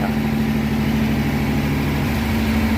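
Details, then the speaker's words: 1957 Ford Thunderbird 312 Y-block V8 with 86,000 miles, first run after 35 years off the road, smoky: steady, even rumble noticeably fast for idle, no misses; high idle, owner suspects a vacuum leak. "I don't know why again, I don't know why it's idling so high, but gotta let her be for a minute."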